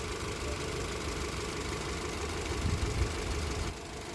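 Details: 2024 Mitsubishi Xpander GLS after a no-start, idling while alternator output reads about 13.86 V: steady, even petrol idle with soft low hum, no knocks, ticks or belt squeal; engine healthy at rest.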